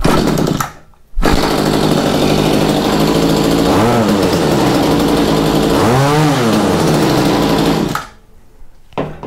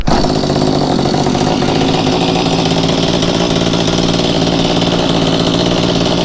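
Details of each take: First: Mantis tiller engine, slightly cold, after carb replacement and tuning, a new air filter and a new spark plug: an even, buzzy run with two quick rev-ups that climb and fall back cleanly with no stumble, running good. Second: Mantis two-stroke tiller with a new replacement carburetor, on choke: fast, slightly blubbery but steady running with lots of muffler smoke; running too rich before carb adjustment.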